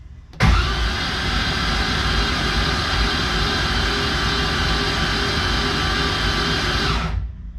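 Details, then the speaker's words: BMW E82 pro drift build before first start, all spark plugs removed, cranking on the starter: smooth fast whir about six seconds, no compression chuffs, building about 43 psi oil pressure; normal cranking. "So, we're building about 43 PSI on the starter, which is fantastic. That's awesome."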